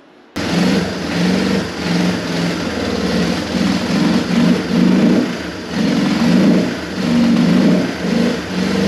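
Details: Yamaha Moto 4 ATV single cylinder, first start after top-end rebuild, with oil-saturated airbox and dirty oil: runs steadily with gentle rise and fall in revs and no knocking or rattling; sounds healthy.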